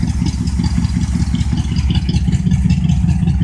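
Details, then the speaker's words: Cold start of a 1972 Oldsmobile 98 with 455 big-block V8: deep, lumpy idle with loud raw exhaust rumble from a hole in the left muffler; a vibrating part also sounds like knocking. "you can see the hole there I got a hole in my muffler right here but"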